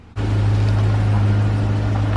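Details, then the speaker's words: Truck test-driven up and down the driveway after U-joint replacement: steady low drone moving off with no clunks or clicks; the earlier noise is gone, confirming a U-joint was the cause, driveline now normal. "gone I don't hear it would have made that noise already so it was a u-joint"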